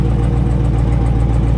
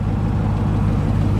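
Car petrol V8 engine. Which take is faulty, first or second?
first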